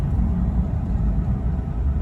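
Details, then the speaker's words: 2006 Ram 1500 Mega Cab V8 on the road, low fuel: deep steady rumble with no misfire; running good after a misrouted wiring harness fault was fixed. "running good again yeah that's crazy that's all that it was"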